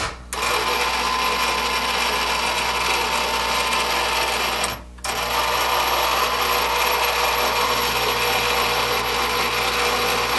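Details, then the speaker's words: Old ham radio antenna rotor, about 25–30 years old, turned on the bench: harsh, rasping gear noise with a thin high whine, sounding completely dry with no lubrication left. Its brake sometimes sticks, and it needs lubrication and possibly bearing work. "you can hear it's quite noisy it sounds absolutely dry like there's no lubrication left in there at all"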